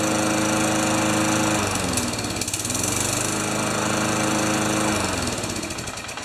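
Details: Craftsman Tecumseh mower after a carburetor clean and fitting the missing carb-to-intake gasket. A strong, even tone that dips briefly under load and recovers cleanly; healthy.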